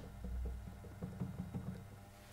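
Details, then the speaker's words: Rek-O-Kut turntable running: faint regular creaks and ticks following rotation; motor is silent, noise comes from the platter, suspected loose-fitting bronze bearing; speed remains stable. "o... I don't know what to call it. It's creaking and making noise. Well, it turns out that the engine is running silently."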